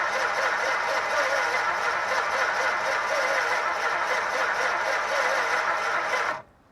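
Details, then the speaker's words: 1962 Chrysler Newport 361 V8 with TorqueFlite A727, parked 17 years, gas fed by hand: steady cranking whirr with an even beat that never fires; cranks but won't start, weak orange spark suspected. "oh sounds like she's trying"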